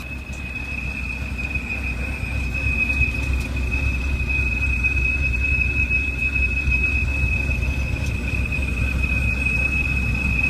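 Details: 2007 BMW 328i automatic: high steady whistle over low engine rumble at a stop, changing pitch with rpm; suspected vacuum leak from a cracked valve cover or gasket, not confirmed.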